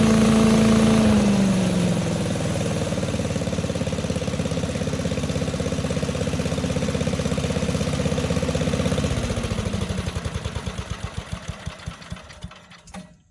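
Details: 1984 MTD Air Sweeper (model 245-692-000) with 5 hp flathead Briggs & Stratton single-cylinder (engine 130212-1731-01), 36 years old: even regular firing about four beats a second, no knock or misfire, then winds down smoothly to a stop; engine in good shape.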